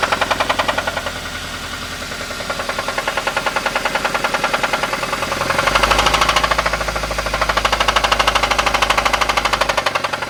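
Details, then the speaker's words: Toyota Avanza engine: heavy regular knocking about two to three a second that strengthens as revs rise over idle; worn connecting rod bearing knock, deemed unsafe to drive for fear the rod breaks the block. "jalanan aja ini enggak berani buat jalan Pak kalau ini dibuat jalan takut saya nanti ee stangsernya patah itu ngenain blok mesin blok mesinnya pecah"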